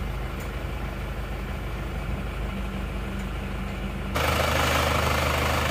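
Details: Isuzu Panther Touring diesel after overheating from running out of coolant on the toll road, worn nozzles refitted with very low pressure readjusted; steady even idle clatter, smooth low beat, no misses or knocks, healthy.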